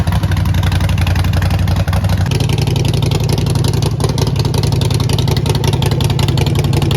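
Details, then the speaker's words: Neglected 2008 Harley-Davidson Sportster, primary fluid not changed: deep loping V-twin beat picking up cleanly with throttle and holding steady; runs really good with some power. "But overall, she runs good. She runs really good. Actually, she's got some power. That's for sure."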